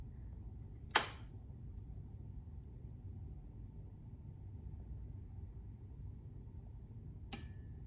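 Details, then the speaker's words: Pioneer SX-780 receiver after STK-0050 Darlington output replacement, powered through a bulb tester. A quiet hum, then one sharp click near one second and a softer click about six seconds later: the protection relay engaging normally, though current draw seems high. "And we're clicking out of protection. Great."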